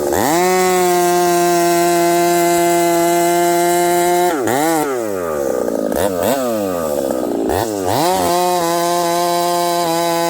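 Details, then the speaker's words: Husqvarna 371xp/372 chainsaw with pop-up piston cutting hardwood, hot: crisp high scream sags and wavers repeatedly under load then recovers; owner suspects ignition coil breaking up when hot, plans new coil. "something's going on with the ignition it sounds like the coil is kind of breaking up uh when the saw gets hot so I think we might have to put a new coil on this just to see if it runs different"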